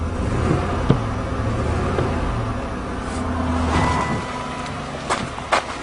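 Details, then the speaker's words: 1997 Lincoln Continental engine at idle after a cold start: steady low pulsing stumble, one cylinder not firing; plug wires pulled one at a time to find it, possible spark, plug wire, plug or compression fault. "all right is running exactly the same as yesterday yeah you can hear that pulsing"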